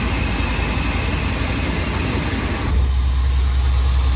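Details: OBS at idle after replacing the spark plug wires (one boot was touching the manifold; misfire suspected): steady, even low pulse with no skips or stumbles; misfire gone, plugs still to be changed.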